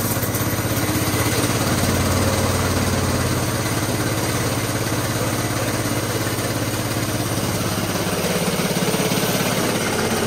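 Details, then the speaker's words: Small single-cylinder petrol engine converted to hydrogen, with its water injection swapped for petrol and hydrogen at only 1–2 psi instead of the usual 6: steady, even idle with no misses or knocks. "Okay, [snorts] so nothing really special there. We've got it running on petrol and the hydrogen mix."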